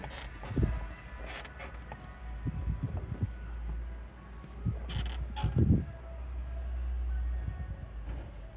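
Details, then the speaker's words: 2011 Kia Sportage SL sunroof: low groaning creaks in short bursts as the roof panel moves, somewhere at the rear; stops when pressed, lubrication didn't help; exact source not pinned down. "вот насколько я понимаю скрипит вот вот в этом месте вот именно не"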